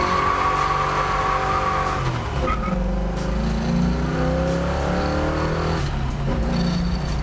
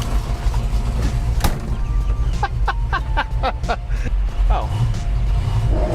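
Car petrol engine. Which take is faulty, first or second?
second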